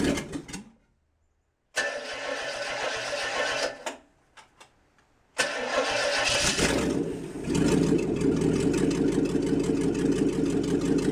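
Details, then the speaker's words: International 345 V8 at first start-up after reassembly, timing set by ear: cranks, catches after a couple of tries, settles into a lumpy, uneven idle; rough idle, carburetor needs work. "i got it running reasonably well you know i've just timed it by ear and the carb definitely needs some work but i at least wanted to get it so it would idle and it's doing that"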